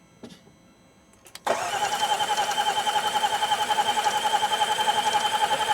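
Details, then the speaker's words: 2018 Range Rover Velar, crank no start after the battery died; starter spins at a steady four pulses a second but it never fires; bad valve opening shows valve timing is out. "Okay. Yeah, this is a timing issue. Yeah, this doesn't look good, Steve."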